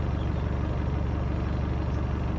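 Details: Ford Transit camper van diesel after a cold start on a newly fitted donated Bosch battery: a steady, even rumble at a settled idle with no misses, a normal idle.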